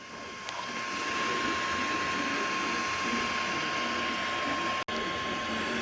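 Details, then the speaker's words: Creality CR-200B 3D printer, new, printing and heard from the top: very quiet, with only a steady fan hiss and faint hum, no knocks or stepper chatter; normal printing noise. "it is whisper quiet the only noise you can actually hear are the fans that are running"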